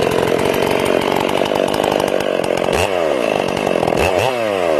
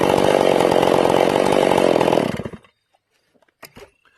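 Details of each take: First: Ported Stihl MS461 chainsaw on its first cuts, still breaking in with the carb set a little rich. It screams steady, then burbles and warbles entering and leaving the wood. It sounds like four-stroking from the rich carb, partly because a limited coil caps the RPM. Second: Ported Stihl MS461 in break-in, high jet turned back after a quarter-turn richening: a high, steady, clean and crisp two-stroke scream under cutting load for two seconds, then it drops off.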